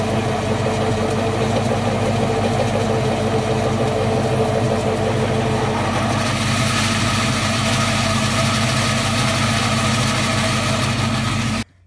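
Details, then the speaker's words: 2004 Ford Mustang GT idling with a loud, horrendous whirring clutch noise whose tone changes sharply when the clutch pedal is pressed; owner and mechanic suspect the throwout bearing or pilot bearing, not confirmed. "so as you guys could tell the noise is just horrendous I literally cannot explain in any other words um it is just probably the worst sound I've ever heard in my life"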